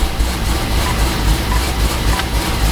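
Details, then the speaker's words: C6 Corvette at idle just after the original alternator, which had ripple and low voltage, was replaced with an AutoTech unit. A steady, even low rumble with no ticking, squeal or grinding; charging reads 14.6–14.8 V with the AC on. Normal idle. "No weird noises in the engine bay. Is it quiet?"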